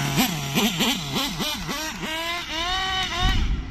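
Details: Nitro RC engine after running too lean, high-speed needle wound back half a turn: revs bob up and down, then climb cleanly into a smooth, steady high-pitched scream with no stumbling. Now running properly.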